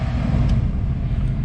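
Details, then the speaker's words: Chevrolet Camaro AC blower fan motor after being removed and checked for loud noise; smooth even air rush at max speed, no rubbing, ticking or wobble, fan healthy. "nice to be able to just turn it up to max"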